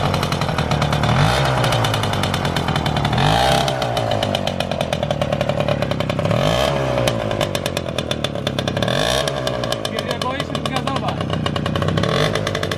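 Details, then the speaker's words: Motorynka two-stroke moped after years of storage, carburettor uncleaned but reasonably set: crackly, slightly uneven idle that blips up and down at times; normal idle. "w miarę ustawiony także na wolnych obrotach się rozwinie chodzi"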